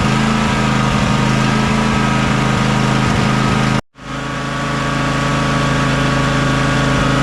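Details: John Deere X300 riding mower V-twin idling warm after choke and carburetor work: steady drumming beat, cuts out briefly once then picks back up; suspected fuel contamination needing flushing, or carburetor-to-intake gasket air leak, unconfirmed.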